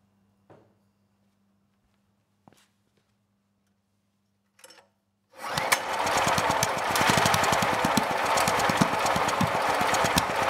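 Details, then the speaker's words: Generac GP5500 generator engine, previously seized then freed, after a test pull by the airbox: catches and runs with harsh, uneven rapid chuffing as exhaust blows back out the carburetor, with soot behind the air filter; suspected valve trouble from worn cam lobes. "well we didn't get any Flames that time but I did see a bunch of exhaust coming out of the carburetor and that is not normal that should not be happening so I would say we do have valve issues"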